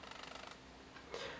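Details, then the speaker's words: Sigma MC-11 adapter with lens on a Sony A7R II, wide focus area: after focus locks, a quick buzzy train of tiny clicks for half a second from the focus mechanism; cause unclear. "after it locks on focus there's a sort of a a jittery sound some sort of mechanism"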